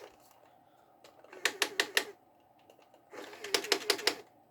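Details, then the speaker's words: 5V 2A mini DC-DC boost module powering a 1:28 RC excavator, drawing about 400 mA: a small motor whirs in brief bursts with sharp stuttering clicks as it cuts out and restarts for lack of power. "so you can see that it's cutting out and restarting but it seems to be getting away with it at the same time we're only drawing about 400 milliamps there maybe"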